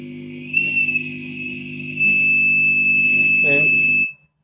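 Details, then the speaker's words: Mesa/Boogie Mark IIC+ reissue in its headshell, gain and treble at max, reverb zero, presence four, reverb cable and tube reinstalled: a steady piercing whistle over the hum; high-frequency oscillation set off by the reverb connection, with heat also suspected. "here we have oscillation. Pretty obvious oscillation."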